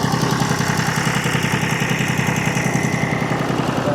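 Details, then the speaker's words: John Deere 830 Utility diesel tractor after new fuel injectors were installed and the fuel was bled: a steady, even idle with a regular beat near 214 per minute and no misses or knocks. A normal diesel idle. "uh anyway we got her back together we can at least crank it and drive it now"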